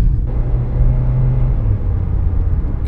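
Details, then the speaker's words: 2003-2013 Toyota Corolla driven at 34-35 mph, then 45-50, after replacing the wheel bearing: only low, even road rumble with no hum rising with speed; noise gone, wheel bearing now quiet. "let's go test tried to see if sounds still the same you know I hope only one sighs bad not in both side so right now at 34 35 and it sounds good"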